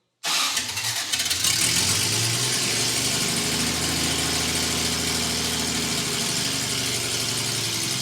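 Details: Toyota FJ40 with Holley Sniper EFI on a small-block Chevy V8, first start after install; exhaust not yet connected, untuned: engine cranks, catches immediately and settles into a steady, even idle with no stumbling or misfire; normal start and idle.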